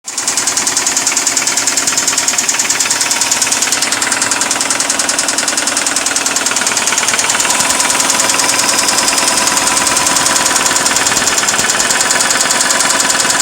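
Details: 2002 Subaru WRX wagon, EJ20 engine with 60k miles, installed 5 months ago: fast, light tapping, seemingly from the right head, over a low, hunting, shaking idle. Owner suspects rod knock or valves; plugs and timing checked normal.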